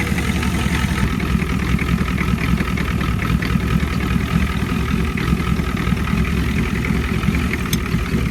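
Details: 1989 Ford F250 7.3 IDI diesel after fitting used injectors, new return lines and O-rings: steady, even clatter at idle with a deep low rumble, no misses or stumbles; no injector cap leaks seen.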